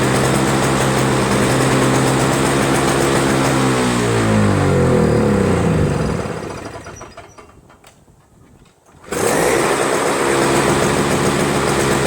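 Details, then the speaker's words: Toro Snow Commander 7HP R-Tek 24" single-stage power-propel snowblower, previously no spark and no start; after disassembly and a cleaned-up ground wire it has spark again without magneto replacement. Steady drone sags briefly, then recovers into a smooth run: normal running. "got this thing running again I just took off took it apart something moved whatever ground it better cleaned up the ground wire a little bit better"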